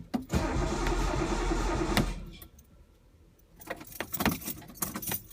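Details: Engine after a fuel pump install: about two seconds of steady cranking, then silence; it never catches and no pump hum is heard. Owner suspects no power to the pump or pump wired backwards. Crank, no start.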